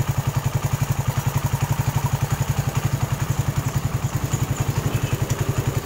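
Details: Suzuki Satria FU 150 after rebuild with aftermarket KW cylinder block and valve shims: even, regular thumping idle, about three to four pulses a second, no ticking or knocking; healthy, earlier heavy smoking fixed.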